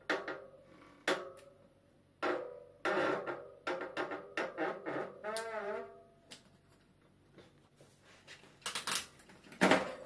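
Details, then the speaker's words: Bicycle disc brake: sharp, honking squeals each time the brake is squeezed, and it slows poorly, because oil contaminated the pads and disc; fix is removing and degreasing the pads and disc. "Lorsque l'huile pénètre dans le frein du vélo, tout commence à grincer et à ralentir fortement."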